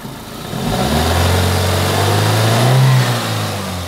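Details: 2002 Toyota Corolla 1.6 L, 81 kW, after the rattling heat shield was secured with an extra screw: smooth even rise in engine note when revved and held, no rattle or buzz; sounds healthy.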